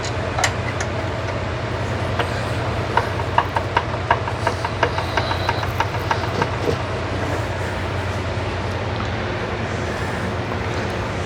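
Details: Rebuilt FC engine, never yet fired, while setting ignition timing, on an old starter: steady even cranking, crisp regular clicks three or four a second over a low drone; normal starter cranking.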